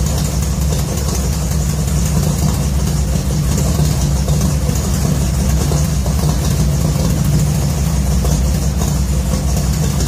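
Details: 1966 Ford F100 V8 on points ignition, first start with new headers and a new exhaust system. Deep, even rumble at idle, steady and smooth with no ticks, leaks or popping. The exhaust note is healthy.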